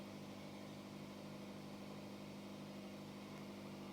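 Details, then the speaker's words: Hyundai hybrid with transmission fault, after valve body rework, in Park with no DTC while the battery charges past 30% state of charge: quiet, smooth, steady low hum with no knocks, ticks or hunting; normal idle. "Seems to be idling good."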